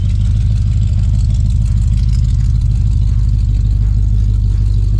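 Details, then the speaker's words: 1965 Plymouth Belvedere V8 idling and revving with a deep, even, lopey big-block rumble, no knocks or misses; healthy idle, though a couple of worsening exhaust manifold leaks are present. "sounds great sounds like a big block Mopar so she's got a little a couple exhaust leaks at the manifold"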